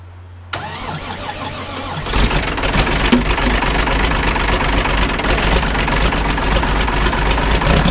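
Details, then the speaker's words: Ford 5000 tractor with a swapped-in Ford Brazilian 7.8 six-cylinder turbo diesel (from an L8000), very first fire-up: brief crank, catches in two seconds, then steady even diesel clatter at idle with no misses; runs decent, though power steering is leaking. "I just want to look before I run it for too long because that was a first fire up in this tractor. Wow, that thing ran. It seemed to run decent."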